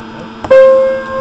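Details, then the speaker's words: Modern Universal player piano stack, Perflex pouch test with finger over the hole, good pouch: soft click, then a clear piano note rings and sustains with no air bleed hiss, proving the pouch is sound. "you notice there's the note plays first off and second off you don't hear that hissing sound and that proves that it's good"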